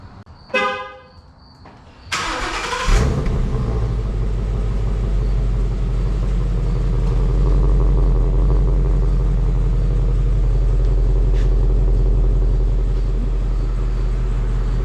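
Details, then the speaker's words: 2017 Mustang GT, 5.0 Coyote V8, after an MBRP S7239 cat-back exhaust install: horn toot, then a deep, even rumble on take-off with no drone or rattles; exhaust sounds healthy. "alrighty so this is what it's going to sound like from a take off you can do whatever you want buddy yep not bad"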